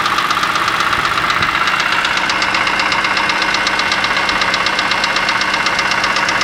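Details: BMW E46 M3 at idle after a broken rod and piston; used block fitted with original head, Vanos and cams; crisp even rattle about four taps a second, present since the rebuild, cause unknown.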